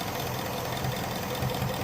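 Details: 2017 Ford Mustang GT 5.0 Coyote V8 idling, codes P0302/P0316, cylinder 2 misfire; coils, spark plugs, direct and port injectors already replaced, cause unfound; uneven, lumpy beat with a stumble dropping in every few pulses.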